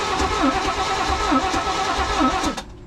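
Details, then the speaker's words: 1980s Chevy square-body truck with fuel being squirted in by hand: slow, even cranking at about two compressions a second that never catches; the engine is flooded. "It's gonna be tough. You gotta stay there just squirting it. It's flooded now."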